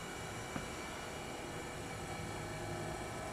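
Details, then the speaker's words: Restored General Electric CK26 Monitor Top refrigerator with SO2 refrigerant, first power-up: steady, even compressor hum with no knocks or rattles before high-side pressure built up; a blocked float is suspected; normal compressor start-up. "When it first fired up, before the pressure built up, it sounded normal, so I don't think it's really damaged, but I'm not going to keep stressing it."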